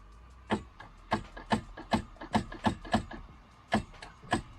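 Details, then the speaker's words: Jet ski after rebuild, battery fitted, cooling water running, fresh fuel: irregular single clunks, about ten in five seconds, with no cranking; starter clicks but won't turn, owner suspects a seized engine or choke. "Nothing. Doesn't want to go. Crap it. So guys, got the battery hooked up, got the water running. This is what happens."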